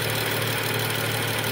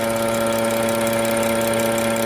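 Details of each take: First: 2013 BMW 335i F30 with N55 engine, after replacing the vacuum wastegate control valve that had caused a constant humming/buzzing. Smooth, even idle hum with no buzzing or rattle. Normal idle after repair. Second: 2013 BMW 335i F30 with the N55 engine: a steady mid-pitched electrical hum over a smooth idle, not varying with rpm, from the failing vacuum wastegate control valve; valve was replaced; wastegate control valve buzzing.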